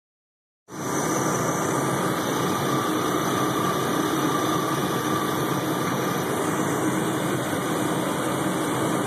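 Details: 1997 Chevy Blazer petrol engine idling under heavy electrical load (radio, heater, lights): a faint high-pitched alternator whine, then a click as it nearly stalls, with the pulleys and belt slowing; rpm also fluctuates on the highway. Alternator suspected, unconfirmed.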